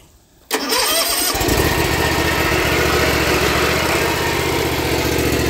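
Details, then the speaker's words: Dixie Chopper mower start-up: starter engages, twin catches quickly and settles into a steady beat with a dry whirring rattle on top; owner suspects the PTO clutch bearing is going out, starter may also need replacing. "but it runs it drives it mows but I think the bearing on the PTO clutch is going out let's see if it'll start and I'm probably going to need a starter"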